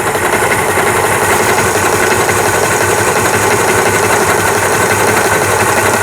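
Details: Small Janome Jaguar Mini model 490 Japanese-domestic 100V sewing machine, repaired after a broken needle-bar crank: fast, even stitching chatter at constant pace with no clunks or binding; sewing smoothly.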